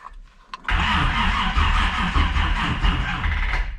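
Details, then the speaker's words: 1946 Chevy pickup with mystery 350 small block, first start attempt after thermostat housing O-ring repair: starter drags the engine over slowly for about three seconds without firing, due to a flat battery. "okay so um got flat battery and yeah so I need to go and grab my jumper leads and other battery and kind of give it a kick in the guts and see what happens"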